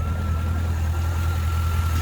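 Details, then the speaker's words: C5 Corvette, automatic, about 20 years old, harmonic balancer fine, exhaust heard at idle: even, deep idle with a steady rumble and faint constant whine, no ticking or knocking; engine smooth, no issues. "let's look at that or hear that exhaust it sounds pretty good when it's idling no issues"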